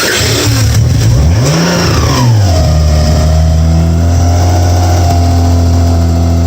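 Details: First start of a 1992 Subaru SVX 3.3L swapped into a 1999 Legacy Outback with standalone SVX harness and ECM, wiring unfinished: engine blips up a couple of times, then settles into a smooth, steady idle with no misses or knocks.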